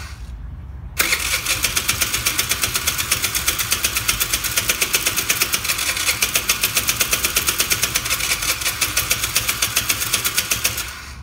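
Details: 2011 Taotao ATM50 scooter; carb jets cleaned, another carb tried, plug and fuel lines replaced and valves checked, with spark (running rich) and OK compression; it lost power then stalled. The starter churns about three beats per second for ten seconds without ever firing.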